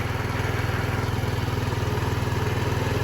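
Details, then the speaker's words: 2007 Diamo Retro 50 GY6 scooter, after new intake tube fitted, on non-ethanol fuel: small single putters evenly at idle, about four pulses a second, no misses or knocks; normal idle. "Sounds like it's running good, so guys, I don't know why, but I'm not even gonna change the fuel petcock, even though I have one coming."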